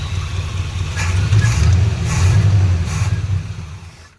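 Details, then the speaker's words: 1980 Chevrolet C30 dually with 350 small block, first start after sitting, running a few minutes at slow idle; lumpy rumble sags and dies as fuel filter sucks empty, fuel starvation. "I was running for a few minutes and it quit. Come over here to the fuel filter, it's freaking empty. What the heck, it was full and now it's empty, and you can see it's all sucked looking."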